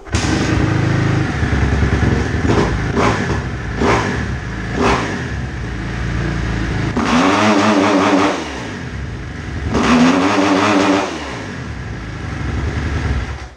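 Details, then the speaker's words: 2010 Kawasaki KX250F, warm engine, revved in short blips and then two longer pulls. Revs rise but then choke and sag instead of holding, so the engine bogs under revs. Cause unknown; diagnosis is starting. "Donc voilà, la moto elle prend pas assez au régime comme il faut. Ça devrait érupter et rester en régime comme il faut. Et là, vous écoutez bien, ça s'étouffe et ça va pas."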